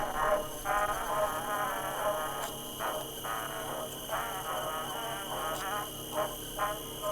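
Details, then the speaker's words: 1960s Granada VT-800 5-inch reel-to-reel player, after motor oiling and connecting external speaker: recorded music plays at an even, steady pace but sounds off-pitch, transport not running at the correct speed. "It's It seems to be running the same speed, no matter how that's connected. However, it sounds like it's not playing at the correct speed despite that."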